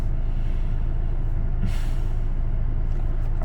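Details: A Honda Accord G9 2.0 (R20) remapped for gasohol 95 to fix idle vibration idles in D with the AC on: a steady, even low rumble with no shake or stumble: normal idle in drive.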